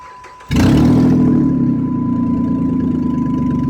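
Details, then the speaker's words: 2007-2012 Dodge Charger with a broken exhaust flex pipe and broken manifold studs, before the welding repair. The engine starts to a fast idle with a raspy chuffing. Exhaust leak. "sound good it sounds like we got an exhaust issue well today too"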